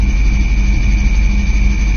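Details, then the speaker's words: 1983 Camaro with 5-speed manual: steady high-pitched squeal at idle with the clutch pedal released, gone with slight pedal pressure. It was present before and after a recent clutch replacement; owner suspects the release/pilot bearing, not confirmed. "applying pressure to the clutch very slight pressure it goes away so I drive around with uh this pressure on the clutch uh as I'm driving around"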